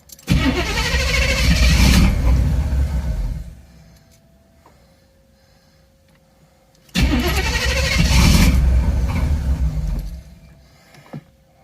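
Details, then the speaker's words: Third-gen Camaro small-block Chevy V8 starting after new computer installed and battery reconnected: catches twice with loud uneven roar, fading and dying within seconds, won't hold idle; cause unknown; rough running. "weird [Music] well she's running again not very well though"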